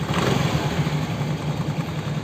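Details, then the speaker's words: Honda Vario scooter previously making a klotok-klotok engine knock, traced to a faulty automatic cam chain tensioner (tonjokan); now a steady, even idle with no knock or rattle; running smooth after repair. "Oke guys, jadi penyakitnya sudah ketemu, cuma ditonjokannya doang. Motor sudah halus kembali."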